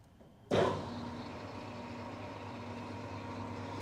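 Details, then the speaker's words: New Precision Matthews PM-1660TL lathe, first run before break-in, low range gear 1 at 36 rpm: motor starts with a clunk then settles into a quiet steady hum with faint even tone; nice and smooth, normal. "there it is it's nice and smooth i'm real happy with it"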